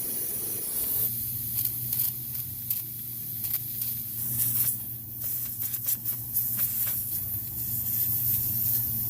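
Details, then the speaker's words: HVAC unit being assessed for repair or replacement: refrigerant spews out as soon as the circuit is charged, giving a continuous sharp hiss over a low unit hum, fluttering slightly. The leak was found at the back of the unit. Refrigerant leak. "soon as I put refrigerant into this system, it started spewing out from somewhere. I can hear it, just can't seem to see it."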